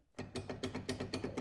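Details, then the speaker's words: 2018 Polaris RZR 900 S4 with 222 hours and about 2,97 miles, on jack stands, tires off: quick metallic clunks as the prop shaft is rocked by hand, from worn joints front and rear; banging on throttle on/off, screeching while moving; shaft to be replaced. "Um, and then when you would go to go to throttle on, throttle off, you'll hear some banging."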